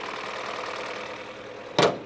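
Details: High-mileage car (about 175,000 miles) that had nearly no compression when started earlier before eventually kicking in: uneven, thin idle without a firm beat, then a sharp thump; rough running, cause unconfirmed.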